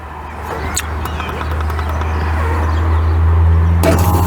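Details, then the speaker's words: Evaporative air conditioner whose fan had stopped working, unit switched on while the electrical fault is traced; a low hum builds, then a click and hiss as the water inlet solenoid opens and water starts flowing, normal solenoid operation, though flow seems slow. "Right, so what that is a solenoid opening. As you can see here, I've got water starting to come down into the system here."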